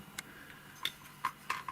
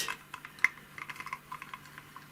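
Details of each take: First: Podolsk hand-crank sewing machine with a noisy, knocking manual drive: sharp, uneven metallic clicks about two or three a second as the crank turns. An under-machined metal part catches the gear teeth, a factory defect that needs filing down. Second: Podolsk hand-cranked sewing machine hand drive after filing a factory-defective gear so it no longer catches: only light, irregular ticks as the crank turns, knocking and crackle gone; gear now meshes cleanly.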